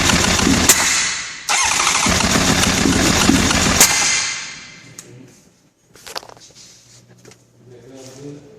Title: 96 cbr 900rr wont start